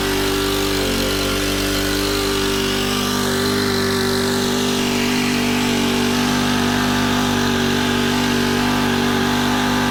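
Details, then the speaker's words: Honda FG110 with GX25 four-stroke, replacement carb being tuned, idle set high to warm it up: loud, even fast-idle putter at constant pitch, no misses, surging or knocks; running normally. "So I'm going to turn the idle up pretty high, and then we'll lower it as we tune it. This is going to help get it warm too. I mean, it's not going to be screaming, but it's also not going to be so low it could barely even run."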